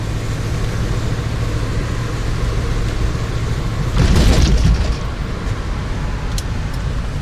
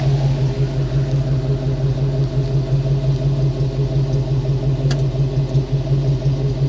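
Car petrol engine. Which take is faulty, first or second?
first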